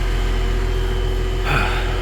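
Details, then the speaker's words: Heat pump on a no-heat service call, air getting significantly hot: steady low hum with even fan drone and brief shift midway, no knocks or squeals; running in heat mode normally. "so it's running in heat mode like it's supposed to"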